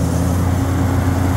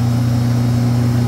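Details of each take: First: Walk-in freezer rack restarted at night after a fault: condenser fan motor back on, steady low even hum with no rubbing, grinding or ticking; condenser fan motor running normally. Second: Walk-in freezer compressor found very hot, with 207 V measured on all three phases: a loud heavy strained low drone with no cycling, the compressor sounding labored. Technician suspects a thermal overload trip.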